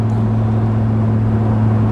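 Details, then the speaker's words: Land Rover Discovery 2 diesel on a road trip, foot flat to the floor; steady labouring drone with no rise in revs, struggling for power. Owner suspects running out of power. Engine bogging under load. "We're starting to bog down a bit now. I wonder if it's not like, you know, starting to run out of power. My foot's flat to the floor."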